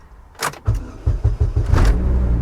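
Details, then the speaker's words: Chevy Cobalt SS supercharged with a new unprogrammed key, clutch pressed after the security relearn wait: a few short cranking bursts, catches at about one second and settles to steady even idle; normal start. "She runs. Oh! Oh! She runs. She runs."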